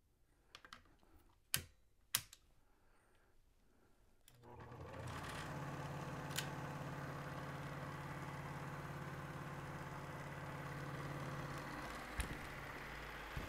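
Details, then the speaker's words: Elmo ST-1200 HD Super 8mm projector after shutter wheel belt repair, back cover off: a few clicks, then a steady, rapid mechanical clatter of about four beats a second, loud because it is open; working properly. "and you can see it's working once we put the back on it won't be as noisy you won't be hearing all this noise"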